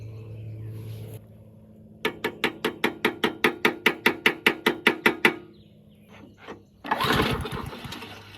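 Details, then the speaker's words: 22-inch Murray mower, 5 hp Briggs flathead, unrun 20 years, float bowl freed: short burst of even firing pulses about four a second, fading out; not getting enough fuel, suspected debris in clogged fuel line. "and not getting enough fuel hmm [Applause] yeah not getting enough fuel that's why it's not running"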